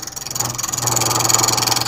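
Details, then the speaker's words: Lathe turning a dry ambrosia maple long-stem goblet blank with a carbide tool, shaping the cup first: fast pulsing chatter with a thin high squeal on the cut because the blank overhangs too far from the chuck and vibrates. "and you can hear the vibration from being so far extended and i want to get rid of that"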